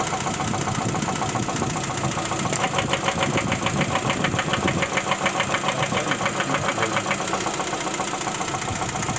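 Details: Lada Vesta 1.6 engine revved: sharp, regular knocking about three to four per second over the running engine; internal engine knock, cause not confirmed, coil-by-coil cylinder check underway.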